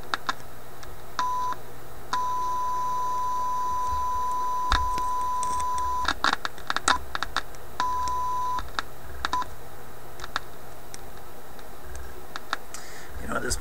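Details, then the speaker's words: Yugoslavian-built Florida AM/FM/SW tube radio tuned around 640–650 on AM: steady test tone breaks into scratchy crackles and dropouts when the tuning capacitor is touched; suspected capacitor bearing or last plate touching, not confirmed; crackling noise when tuning. "be the bearing in the capacitor sure sounds like plates touching"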